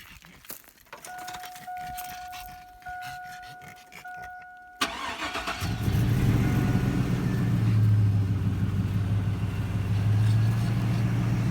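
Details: Chevrolet Tahoe, long family-owned, after exhaust, intake and computer tune; chime, then cranks, catches promptly and settles into smooth even V8 idle with no knocks or misses; sounds like it's running good.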